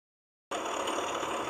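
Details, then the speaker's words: Jeep Renegade engine at quiet idle with a steady whirring hiss and no knock rhythm, traced to the water pump pulley; the water pump needs replacing. Water pump bearing noise. "Isso aqui é a Polia da bomba d'água tá vai ter que substituir a bomba d'água do Jeep renegate"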